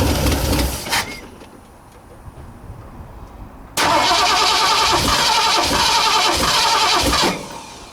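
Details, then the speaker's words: 1960 Ford F100 with transplanted 351 Windsor V8, not run in decades, fuel poured straight into the carburetor: brief crank, then it fires and runs rough about three seconds before dying. It stalls, likely from fuel starvation; the carb is suspected plugged and the pump pumps water. "That'll be enough to run it for a few seconds. Might have to turn that idle up again."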